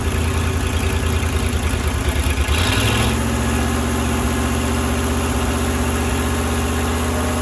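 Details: Firetruck V8, warm near 190 and kept from running hotter until a fan is fitted: even, steady, smooth low rumble, no banging or knocking; timing set roughly, fine tuning to come; normal idle.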